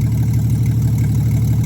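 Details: 1963 Plymouth Valiant slant six, cold idle after carburetor reinstall, no choke stove, coolant very low: low steady even idle, no misses, ticks or hunting; healthy cold idle.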